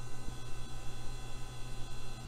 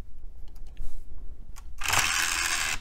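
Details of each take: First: Hard drive in an old Dell 1990s–2000s system, running just before a DOS ScanDisk that later found no bad sectors: a steady low spindle hum with faint soft seek ticks and no clicks or scraping; normal operation. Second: Old Dell 1990s–2000s system's optical drive after a loose tray gear was refitted and the open/close switch cleaned with DeoxIT: faint ticking, then about a second of harsh high-pitched grinding as the tray moves; noisy tray gears.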